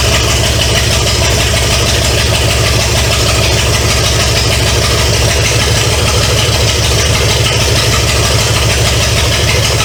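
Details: 1970 Pontiac LeMans with Pontiac 350 V8, first start after decades abandoned: loud, raspy open-manifold idle with steady rhythm and no ticking or knocking. Smoke is from oil put in cylinders to free rings; kept briefly to limit heat. Normal idle.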